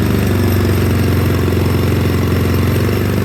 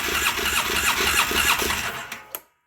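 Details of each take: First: 2009 Polaris Sportsman 800 ATV, sat about six months, fuel pump not running, injectors possibly gummed; lumpy idle and weak mid-range, but from mid-range to wide open throttle it holds a strong, steady high-rev roar, then drops back unevenly. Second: 2009 Polaris Sportsman 800 that sat about 6 months, tank flushed and fresh gas added, fuel pump now running: starter churns in an even beat about three times a second without catching; fuel system dry, needs priming.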